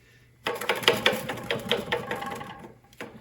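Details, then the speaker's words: Bicycle freewheel spun by hand in a repair stand, hub barely turning: uneven rapid clicks with a dry gritty rasp that stalls quickly; owner thinks the internal cogs are not working. "Those little cogs in there are not working."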